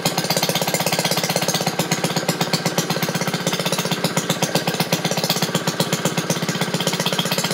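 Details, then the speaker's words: Maytag washing machine's small single-cylinder engine after shutting off the agitator: quick, even popping about four beats a second with no misses or knocks. Healthy, running unloaded. "Alright. Well, she's a runner. Hear how much happier it is now that I shut the agitator"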